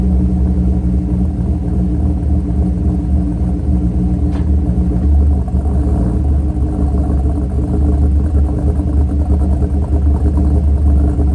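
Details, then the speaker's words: Mercury Grand Marquis 2V V8 with Todd Warren custom grind cams, after modifying AFE intake so IAC valve works: deep lumpy loping idle holding even, no hunting; IAC regulating idle. "if you guys noticed on startup, there's that little kind of bounce of the idle before it leveled itself out, and that was the IAC valve catching itself and leveling itself down to a regulated idle."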